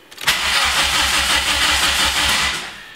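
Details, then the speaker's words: Megasquirt build after fixing swapped 5 V and ground wires on the crank position sensor: even starter whir with regular compression pulses about three per second, cranking about 175 rpm with an rpm signal; not yet fired, and all is well. "all right you can see i do actually have rpm it was kicking up to about uh 175 while i was cranking so all is well there"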